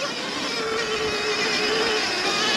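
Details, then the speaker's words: 2022 Sur-Ron Light Bee X electric dirt bike, full-power green cable mod, riding: steady mid-pitched whine under a gritty rattle, never this noisy before; chain fine and not overtight, rider suspects jackshaft, source undetermined. "and there we go notice the uh bike's making a bit of a weird noise [Applause] [Music] today I don't know that's something to do with a jack shaft but if that sounds like a jack shaft noise please let me"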